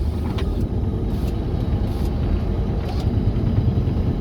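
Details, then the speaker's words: 1988 Ford F150 5.0 V8 after new plugs, wires and ignition control module: deep V8 rumble with lumpy, hesitant beat that never smooths; misfire, still hesitating and lacking full power. "Yep, I can hear that. It's not getting full power, it's missing something."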